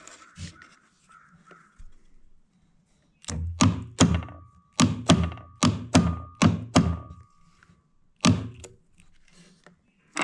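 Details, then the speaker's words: Husqvarna iZ5223 zero-turn mower, Kohler CV23S, PTO clutch tested after repairing its damaged wire: sharp metallic clacks about once a second. It engages cleanly, moves freely and is no longer off centre, though it isn't staying consistent. "So it's clacking and it is moving freely, and it's not off center like it was previously. It's actually working the way that it's supposed to."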